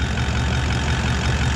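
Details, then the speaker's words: Toyota 79 Series Landcruiser 1VD V8 diesel idling after repair, with a new water pump (the old one's bearing failed) and a new thermostat: a quieter, smooth, even rumble with no whine or bearing growl; normal idle. "um sounds a bit quieter right new water pump down there"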